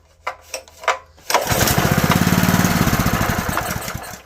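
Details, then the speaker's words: Honda GX160 junkyard engine, on choke after its carburetor bowl was drained (owner suspects a stuck needle): it fires and chugs evenly about three seconds, then fades and dies, running only on residual fuel; a new carburetor is needed. "Now, that's just running on residual. Now, we need a carburetor."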